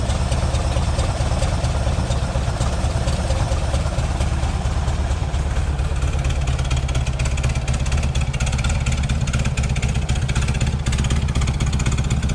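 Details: Green Porsche 914 with a newly installed 2-liter motor: steady, throaty low idle with no stumbles or misses. Idle maybe a touch low, possibly needing an idle or timing adjustment.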